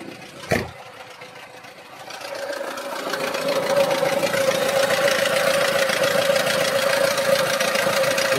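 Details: 2024 Lada Niva Legend 4x4 at about 20,300 km, in neutral just after adding an oil additive to fight engine knocks, 500 km after oil change: catches and idles with light fast ticking knock about four a second over steady whine; cause unclear.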